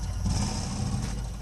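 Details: Burnham Alpine ALP150W gas-fired boiler, three years old, running: deep uneven low rumble like a distant engine, heard frequently while firing; rumbling noise, cause unknown.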